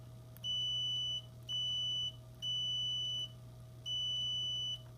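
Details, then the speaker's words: Defective rock light tested with multimeter continuity: red positive lead touching housing screw gives four steady high beeps, showing positive wire shorted to housing, which shorts to the truck and blows the inline fuse. "that means that this red wire is continuous with the body so when I have power here it's sending power to these screws"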